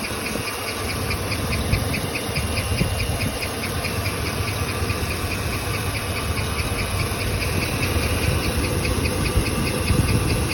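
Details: 2013 2500 HD with 6.0 Vortec petrol V8 at idle: a sharp, light chirping tick repeating steadily, about two to three times a second; cause unknown.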